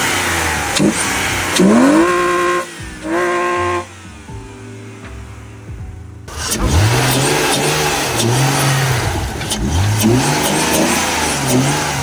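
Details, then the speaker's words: BMW E46 imported from the USA, possibly tuned there (lowered, some power added): engine revs climb and fall cleanly with no misfire, knock or rattle; everything works properly. "ყოველ შემთხვევაში ყველაფერი კარგად მუშაობს, სულთად მუშაობს."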